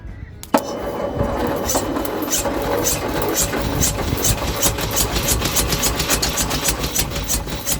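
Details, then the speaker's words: Leyland/Austin/BMC FG COE truck (owner thinks Austin), cylinders full of fuel mud probably from trans fluid and rust: catches after cranking, briefly runs lumpy and uneven with gaps for a few cycles. "That's technically running. Not very well. Alright, well it did run for a little second there."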